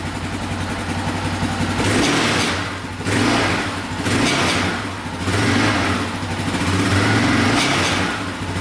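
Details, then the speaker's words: Yamaha Raptor 660R single-cylinder ATV, revved repeatedly: tinny metallic rattle riding each rev, still heard with pressure on skid plate; owner suspects skid plate, later found missing a screw; not confirmed. "you can hear it when you rev it up right there right there right there so i think it might be the skid plate"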